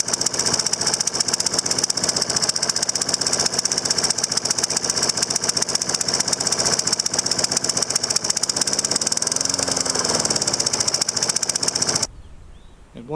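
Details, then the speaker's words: Troy-Bilt 21" mower, Briggs & Stratton 675 series auto-choke engine, first start after carburetor and tank cleaning: uneven, stumbling, ragged running because the new spark plug was installed ungapped at about 0.020 instead of 0.030. "I had noticed, this is a different spark plug, is they put in that spark plug right out of the package, and they didn't gap it to a 030. It was barely on 0.20. So, that made a big difference on how it runs."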